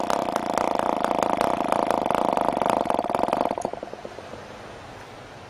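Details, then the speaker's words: PAW 40 TBR model engine, new, first break-in runs on recommended break-in fuel with 12x5 prop on vibrating clamp mount; easy start, rapid uneven wet buzzing that sags and dies: running rich and under-compressed. "Well, that was fairly easy starting. We'll try rubbing it up. Once again, running rich and under compressed."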